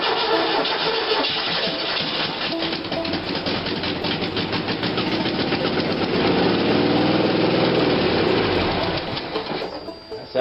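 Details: Engine started via hot-wired ignition coil, possibly without the needed resistor, with the carburetor opened slightly: it catches, picks up with throttle and settles into a steady beat without stumbling; runs well.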